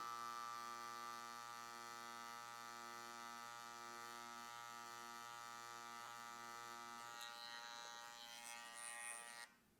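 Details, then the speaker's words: TATVIDA brushless rotary tattoo machine run faster at higher voltage: steady high-pitched electric buzz at fixed tone, then cutting out; loud buzzing at high voltage. "Là, elle fait du bruit, ça va plus vite. Mais le bruit, c'est compliqué, quoi."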